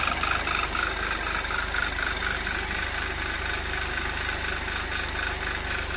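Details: 2011 Audi TT Quattro 2.0T TFSI freshly rebuilt, near 96 °C coolant, no check engine light: light quick tapping three to four beats a second over idle, changing with rpm then stopping; owner suspects some valve, cause not found.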